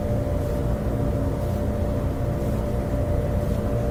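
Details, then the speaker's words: Maytag electric dryer that would not start, running while its exhaust vent is checked for clogs. A steady, even low hum and airflow rush with no rubbing, squeal or thumping. Airflow volume is good, there is no clog, and it runs normally. "That's a good volume of air coming out, so I don't think there's any clog in there. It's pretty good."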